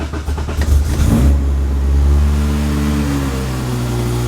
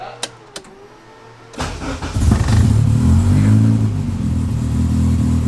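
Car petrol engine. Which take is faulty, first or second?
first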